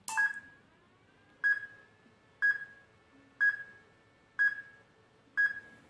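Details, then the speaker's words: Beeping from an RC car electronic speed controller on a 7.4–11.1 V battery: throttle lead plugged into receiver channel four (lights channel) instead of the correct channel, so the ESC gets no throttle signal; repeating single high beep about once a second. "now i see that actually this cable was connected to the fourth channel which is not the correct channel the third and fourth channel in this receiver is responsible for things like turning the lights on the car on and off"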